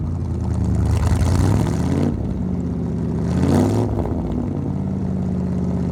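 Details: 1975 Ford F-100 V8, revived after 17 years sitting, with new 2100 carburetor, new coil, plugs and wires: deep even burble at idle, two clean throttle blips rising and falling smoothly; engine healthy.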